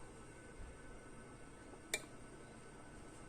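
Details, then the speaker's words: 1988 Sansui B-1000 stereo power amplifier, 75 W RMS, after replacing an IC to fix no-sound/no-relay fault: single crisp click in a quiet background as the protection relay pulls in at power-on; working normally. "Relay click ஆயிடுச்சு. Relay clicking எனக்கு sound கேட்குது."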